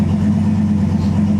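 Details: Freshly rebuilt 5.3 LS V8 in a Nissan 240SX S14, first start in a cold shop, after going through all gears: deep steady idle in gear with even low rumble, no knocks or ticks; healthy.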